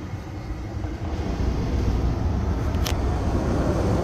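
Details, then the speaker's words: 1985 Pontiac Fiero GT HVAC blower after cleaning mouse debris from the ductwork, on heater setting; a steady, even low whoosh building smoothly with no rattles, ticks or squeals, strong healthy airflow, though the face vents give nothing. "yeah I got lots of nice air flowing out of there now nothing out of the face fence if I go to heater it's working"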